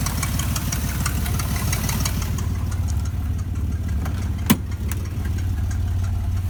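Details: 1993 Chevy 4.3 L V6 at idle: light quick tick riding on each firing pulse, about three per second; exhaust leak suspected, not confirmed.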